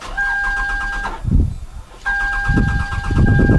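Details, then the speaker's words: Old Toyota Camry with intermittent no-start and exhaust backfiring; starter cranks steadily with even pulses but engine never catches, scope shows no coil control current, coils not firing, fuel smell present. "got no coil control right here at all coils are not firing"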